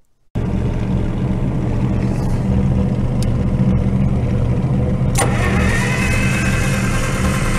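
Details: IH UD-16 diesel power unit on a 1945 Chevy truck, after owner-fixed injection pump, priming fuel to injectors: steady starter churning about four strokes a second, long cranking, no firing yet.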